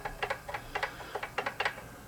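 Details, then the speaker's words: Dean acoustic/electric bass being checked for buzz with a fret rocker: sharp light ticks, mostly in quick pairs, as the rocker pivots on a high fret. "Now I went over between the next 2 strings. We're getting rocking right here on this fret."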